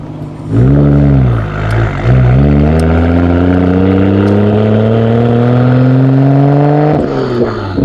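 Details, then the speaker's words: Nissan Skyline R32 GTR driving after a new OEM rubber intake was installed and a ripped ground cable was found. Revs climb unevenly with stumbles and dips under throttle; bad hesitation and sputtering, cause unknown, fuel pressure gauge planned. "Yeah, the car is like hesitating bad. It doesn't even want to go. Oh my god. It's like sputtering so bad the minute I get on throttle."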